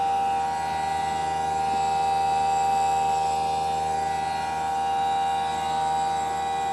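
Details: Newly installed Greenspeed heat pump running: loud, steady high-pitched tonal whine over a quiet hum throughout; not quiet.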